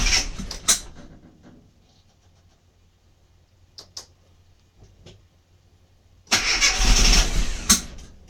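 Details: Mini MPI that won't fire up: a couple of short starter bursts, a quiet pause, then a couple of seconds of steady cranking that never catches; cranks but won't start.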